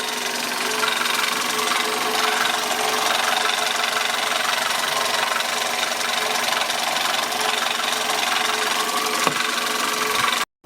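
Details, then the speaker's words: 1999 Toyota Corolla at idle: constant rough, gritty grinding whirr with steady whine on top, typical of a busted power steering pump. "And as you can hear, there is a grinding sounds on this car. The most common problem with this is we had a busted power steering pump."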